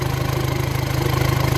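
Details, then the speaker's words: Volkswagen-group diesel (SIA), engine management light on, idling with the EGR pipe loosened: even low throb with faint air hiss as exhaust gas pushes through; EGR valve stuck open, skewing MAF readings. "Listen to the change in sound. There's pressure coming through this pipe which it should not be."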